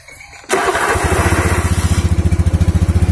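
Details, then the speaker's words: Honda Beat scooter after CVT pulley service, test after reassembly: starts at once and settles into an even, steady putter with no rattle or scrape; the earlier crackle is gone and it runs smooth. "Halus. Oke."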